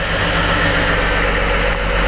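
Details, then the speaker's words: BMW E39 with M52 engine, start at idle with hood open, then revved: loud busy top-end clatter like wrenches hitting the hood; hydraulic lifter tapping, lifters due for replacement, oil pressure should be checked. "то есть и какой звук очень сильно стучат гидрики попробую дать газу ужасно сильный звук вот так пора менять гидрокомпенсаторы"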